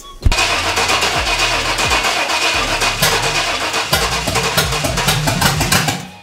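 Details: 5.7 Vortec V8 swapped into an S10, started after fitting a DW200 fuel pump and new fuel filter to cure low fuel pressure; catches straight away and settles into a steady idle with no stumbling, fuel delivery sounds good.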